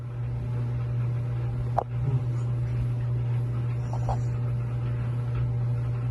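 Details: Samsung dryer after replacing a worn, broken idler pulley that squeaked: steady, even low hum with no squeak or chirp, drum turning smoothly and quietly.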